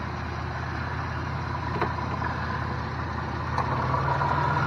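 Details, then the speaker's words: 2000-2005 Chevy Venture idling: after the old refrigerant was drained the AC compressor stopped; once recharged with R-134a, the compressor clutch kicks back on and a faint hum rises and holds over the idle. "the compressor's kicked back on now that I have put more Freon in it."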